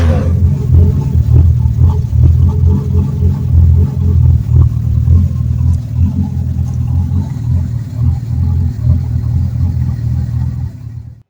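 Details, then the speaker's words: 1974 Ford Torino inline six at idle after a new exhaust system was fitted: a deep, even low rumble, quieter and with less raspy pitch than before, fading out at the end; a healthy muffled exhaust. "well it's a little bit quieter it's definitely a lot deeper without as much of a raspy pitch as what it had before so that's positive"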